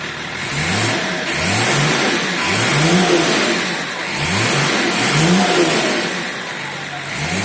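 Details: BMW E34 525tds M51D25 diesel, briefly warmed up and revved repeatedly, heard through an open window: hard, rapid knocking under the engine note, attributed to a knocking injector; the owner considers the engine finished.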